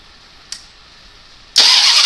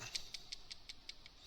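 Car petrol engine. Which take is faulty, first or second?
first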